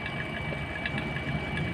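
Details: Vacuum pump evacuating a refrigerator: steady drone with light irregular gurgling crackle as residual air is pulled from evaporator and condenser; gurgling persisting would indicate a leak.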